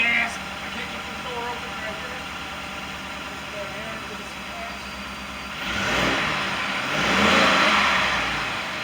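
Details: 2018 Ford F-150 XLT 5.0 V8 after a fuel pump replacement for a no-start: quiet smooth idle, then a couple of clean throttle blips that rise and settle evenly; normal revving.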